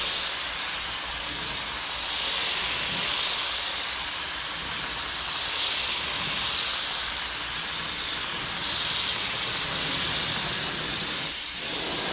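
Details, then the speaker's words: Paint spray gun used for priming a 1981 Corvette hood: continuous sharp air hiss that never shuts off, rising and falling slightly; the air valve is stuck open and the gun needs rebuilding. "yeah what's the issue with your gun sounds like it's stuck in air"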